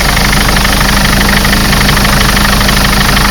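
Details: Mercedes Sprinter 903 CDI diesel that cranked without firing in cold weather (new glow plugs didn't help), running after fitting a reconditioned starter motor; steady even diesel clatter, no misses; normal idle.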